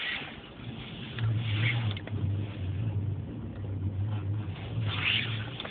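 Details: Citroen C3 Picasso driving: sharp, hollow knocks from the front over the engine and road hum, from worn anti-roll bar end links (a roughly 15-minute replacement).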